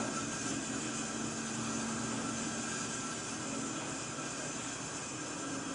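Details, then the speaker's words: Oxygen bottle nearing 500–600 psi from the 600 psi cascade cylinder: steady hiss through the line easing as pressures equalize and flow slows; valve opened a bit more to finish before shutting off at 600. "So I can hear it slowing down. At this point, I usually open up the bottle a little bit more to make sure I got all of it."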